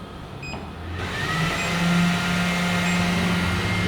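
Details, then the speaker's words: Sovol SV08 Max 3D printer in enclosure, with two enclosure fans still off: loud steady airy wind-tunnel roar that jumps as more fans cut in, low hum underneath; excessive cooling fan noise. "Sounds like a wind tunnel. Can you hear me? Extremely noisy."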